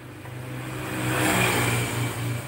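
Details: Yamaha Vixion that won't start on the electric starter and shows no smoke: rough, surging revs that rise and sag unevenly, won't settle to idle and needs throttle to stay running; weak injector power supply suspected, unconfirmed.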